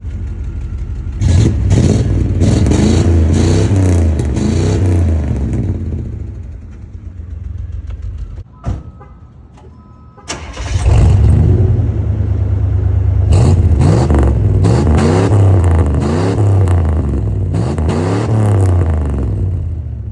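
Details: 1992 Buick Roadmaster V8 without catalytic converters, loud deep exhaust revving up and down with an uneven, stumbling beat from a misfire.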